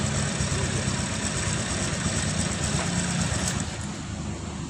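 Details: Honda Vario 125 (first-generation, old model) scooter after replacing the CKP sensor with a new aftermarket one to cure hard starting/ACG starter not working: engine catches and settles into a steady, even idle with regular firing, no misses; runs normally.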